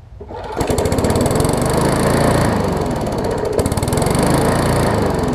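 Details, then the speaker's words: Briggs & Stratton Classic bagger push mower before service: single-cylinder engine chugs unevenly, stumbling and surging instead of holding steady; owner calls it a classic carburetor diaphragm issue and plans to replace the diaphragm. "so so that's pretty much a classic diaphragm issue and get it on the bench over there we'll uh change out the diaphragm check the oil and air filter and stuff like that and see what else we need to do with this one"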